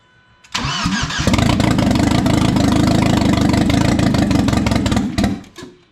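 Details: 1997 Audi A4 B5 turbo on its first start after an engine install. It cranks briefly, catches and runs rough for about four seconds, then stalls on its own. Oil then reaches the turbo; the cause of the stall is unknown.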